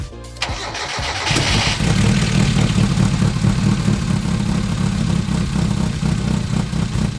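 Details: 1992 Mazda Miata NA 1.6L, long-sitting project, after uploading a base map: cranks, catches and settles into an uneven, stumbling idle with irregular beat; still running rough, fuel pressure to be checked next.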